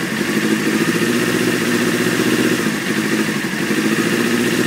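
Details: 1995 Honda F3 sport bike idling at 2200 rpm: fast, uneven lumpy idle over mechanical clatter, super rough; takes 10 seconds cranking and white smoke to start, often rough at idle, red lights and cold starts.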